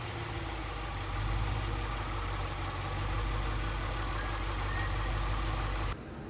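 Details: Audi RS6 C7 twin-turbo V8, first start at idle after engine removal, teardown and repair for misfire and rattle (fault found behind timing cover): steady, even low rumble with no stumble or skipped beats; normal idle, no misfire.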